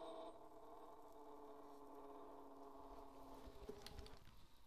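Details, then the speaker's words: Edison Home phonograph spring motor after oiling the governor felts and applying STP to the gears: faint even hum with no whine left; quiet running, well lubricated. "now it's dead silent and that's what the STP does on this gear to this gear"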